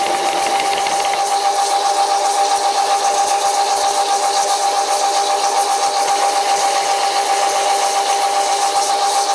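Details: Cutting chatter on an old WW2-era Fischer lathe, first cut after swapping the slipping flat belt for a V-belt: piercing steady ringing squeal with fast rattling, about two beats a second, through the cut; owner judges the result pretty bad.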